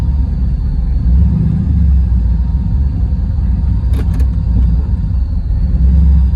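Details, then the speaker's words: Car with an L31 Vortec 350 V8, TPI intake and big-stall converter, idling in reverse. Deep idle swelling and sagging slowly instead of holding steady; idle surge that usually comes more often until it stalls, cause not yet found. "So this is the kind of stuff it would do, but it would be a little more frequent. Yeah, and then until it eventually stalls."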